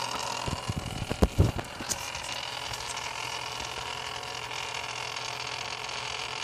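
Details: Antec Kühler 620 CPU liquid cooler after only 3 months of use, no tweaks or overclocking: a few opening clicks, then a steady whirring hiss with a low hum; abnormal pump noise.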